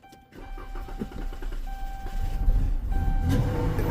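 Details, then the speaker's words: Car that stalled and won't start, cranked with throttle-body cleaner sprayed into the intake: rapid cranking for about two seconds, then it catches and revs; fuel pump suspected, power and ground not yet checked. "Yep. Yep. Y'all know what that mean? We got a problem with the fuel pump."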